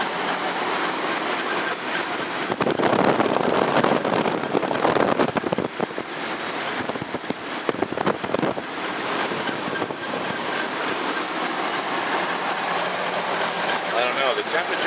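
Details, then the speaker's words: 1999 Dodge Durango 4WD at idle, new water pump and both idler pulleys replaced, no chirp with serpentine belt off: high rapid "cheap cheap" chirp three to four times a second — turned out to be a bad power steering pump. "it's got a new water pump on it now it's still making this squealing sound I need to know what the hell it is"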